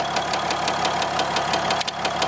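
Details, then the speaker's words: 4th-gen dually diesel at about 180 degrees, after a tune file install that changed nothing: sharp, evenly spaced ticking knock about six times a second over the idle, slight blow-by; owner suspects an injector, not confirmed. "But I don't know if you guys can hear that knocking, but it's like pretty obvious."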